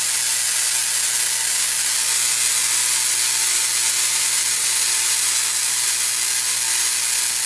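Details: Spark-gap Tesla coil with an added capacitor top plate, now unbalanced and out of tune. It gives a steady, harsh spraying hiss and screeches at the spark gap.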